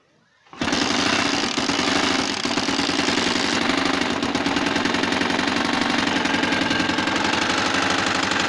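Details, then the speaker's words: Motorcycle engine brought in for a loud noise; it starts and runs with a loud, hard, rapid knocking throughout. Cause not yet known, to be found by teardown. Engine knocking. "صوت خبط جامد جدا في الموتور زي ما حضراتكم كده سامعين."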